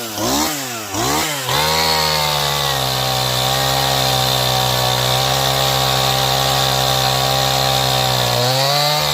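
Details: Stihl MS180 C 32cc chainsaw that bogged only when cold, low-speed screw opened about 1/8 turn, warmed up, cutting 8–9 in wood: high buzz dips briefly on entry, then holds steady through the cut; bogs slightly only under heavy pressure.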